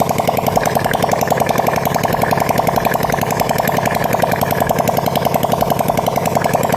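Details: Supra Fit motorcycle single-cylinder after repair of white smoke and rough sound, exhaust off, throttle raised; fast even beat with no knocks or misses; white smoke gone, runs clean and steady.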